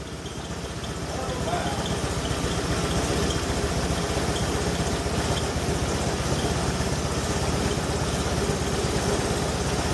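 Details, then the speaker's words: BMW engine conversion in 1989 Hoverstar 2+2 hovercraft, first start in the hull after redoing front engine mount, belt now tracking straight; steady even idle with regular low pulse, no knocks; normal. "oh heck yeah that's what I'm talking about that didn't sound bad at all"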